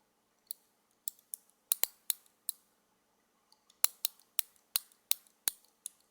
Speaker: you hear that that's the base plate and a cap sliding back and forth